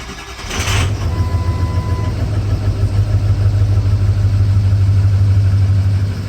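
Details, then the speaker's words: Ford 6.0 diesel F450 wrecker with rusty fuel, low fuel pressure, new starter fitted: cranks, catches and settles into uneven low idle; improved but missing, code P0273 points to a dead injector. "So vast improvement over what it was, but you can tell we got a miss."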